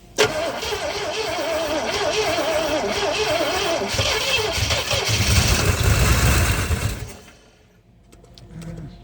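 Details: 1970 Oldsmobile Toronado 455 V8 sat for years, battery charger on, fuel pumped in, choke held on with a screwdriver: fast, even cranking about three turns a second for seven seconds, fading; never catches.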